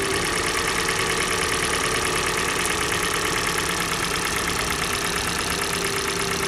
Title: Стук двигателя Kia Sportage G4NA. Холодная. Отключение катушек